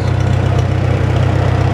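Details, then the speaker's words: Farmall Super M tractor, warm, idling out of gear after tappets were adjusted, good oil pressure: steady, even low putter with no misses, knocks or tappet ticking; running smooth and healthy. "Runs just like an old International would. Just purrs."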